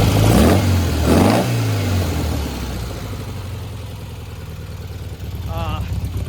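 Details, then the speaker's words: 1957 VW Oval with a freshly installed 1800cc engine and an IRS transaxle converted to swing axle, reassembled after a clutch problem. A steady, even idle with a low, regular beat and no misses or knocks; runs smoothly and healthy. "All right, people, just put back the 57 and the 1800 cc 1.8. It's working good."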